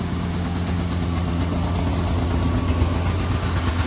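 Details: Two-stroke Subaru 360 van, just started cold on choke after sitting a while: a rough, lumpy low putter settling into a steady idle, smoking while warming up. Running fine.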